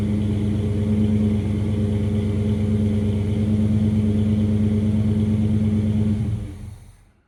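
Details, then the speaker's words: 1978 Chevy C20 truck V8 after repair: a deep, smooth rumble running evenly with no knocks or ticks, then winding down at switch-off; sounds healthy. "Well, I will say one thing. She sure sounds good."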